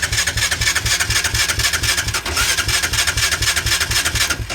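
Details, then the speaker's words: Machine on fuel reserve, possibly without fuel, cranked on a 1000 amp compact jump starter at 69% charge after a protection-mode reset; steady starter churn at about two beats a second, turning over strongly but never catching. "this thing ain't gonna start, but we get the idea. She's definitely turning over."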